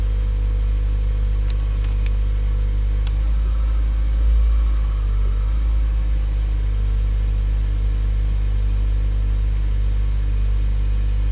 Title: Auris Hybrid / Prius whining noise 3